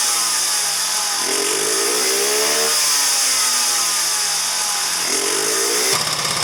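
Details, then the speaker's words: 2009 Genuine Buddy 125 scooter after new fuel filter and refilled fuel lines: high uneven buzz with pitch sagging and recovering every couple of seconds, then cuts out; won't hold idle, owner suspects bad CDI. "Flowing through the fuel filter too. Will it stay idling? No."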